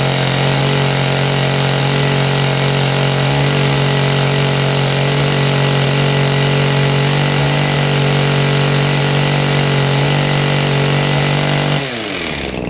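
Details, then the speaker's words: Kawasaki two-stroke hedge trimmer after repair work, started on choke; the carburettor has no adjustment: steady, even buzz at constant speed for twelve seconds before winding down, running better. Normal running. "running it's running better just curious if it is actually a an adjustment on it"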